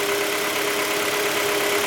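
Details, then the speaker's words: Engine at idle with a constant hum and a fast, even light tapping under it. The knock was not fixed by replacing the engine's mechanical parts, and the location is disputed between cylinder 4 and cylinder 1. Cause unclear. "очень слуш сдела это вот тук вот этот вот рес очень Слышно на хабу на тбу прямо сыно да и сейчас слышно"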